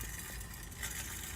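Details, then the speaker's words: Snapper mower small engine running with a harsh, rough grinding hiss from worn bearings; needs bearings and work. "that sounds horrible and again like it just just needs a lot of work and i just really want to fix it up and do some preventative maintenance"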